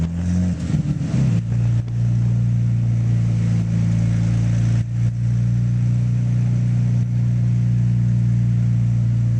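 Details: Nissan GT-R on dyno rollers under load, October 2009: deep steady drone broken by occasional stumbles and dips in the note, a misfire under load.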